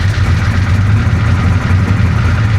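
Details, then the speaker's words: 1966 Chevy Impala 427, hurricane-flooded, starter just replaced: deep, lumpy low rumble that barely holds on; good throttle response but will not idle on its own without the idle kicked up, smoking, owner says not rods. "the engine does not sound good and it's not rods I'm telling you man oh she's got good throttle response but it will not idle on its own like you really got to kick the idle up to keep it"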